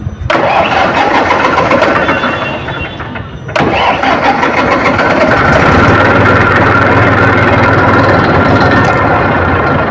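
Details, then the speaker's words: Massey tractor diesel restarted immediately after running; the starter churns about three seconds, then cranks again briefly before the engine catches, a hard start with a diesel pump problem suspected. "तो अभी हम start करते हैं आप लोग देखिएगा engine को कितना टाइम लगता है स्टार्ट होने में कैसे राउंड लेता [संगीत] है"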